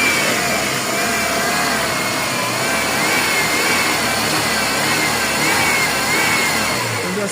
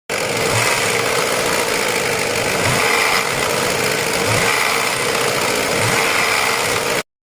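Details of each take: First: Ford Fiesta after replacing the timing chain tensioner with an aftermarket part, driven without oil leaks: smooth even engine note rising and easing with throttle, no rattle or tick; engine runs normally. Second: Ford Fiesta idling with a light metallic chatter riding high over the engine; worn timing chain tensioner, replaced with new part.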